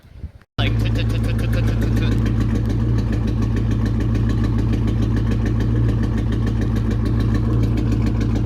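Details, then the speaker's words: 1999 Ford Mustang GT V8 at idle: steady idle with regular stumbling lope; scanner showed cylinder 3 misfire (P0303), fixed by new coil pack and spark plug. "hey guys so today's video is going to be pertaining on the Mustang as I have some type of misfire"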